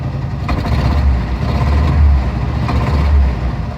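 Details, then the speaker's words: 1990 Jeep Wrangler YJ 2.5L four-cylinder with starting problems despite a full tune-up and fresh fluids; deep uneven idle with a dull knock about once a second when foot is off the gas, source not pinned down. "you hear that knock that sometimes happens when my foot is not on the gas and where I just wanting to start a lot it wouldn't start sometimes"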